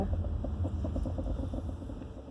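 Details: Car driving at slow speed while turning: rapid, regular knocking of about seven a second over a low rumble; knocking noise heard while turning.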